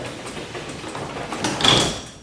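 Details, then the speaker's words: Garage door lowered manually, opener released, after re-spraying a creaking hinge with lubricant: smooth rumble to a soft landing, no hinge creak; fixed. "see no more creaking of the hinge that's why you should lift the door manually and lower it without the opener so you can tell exactly where your hair sounds"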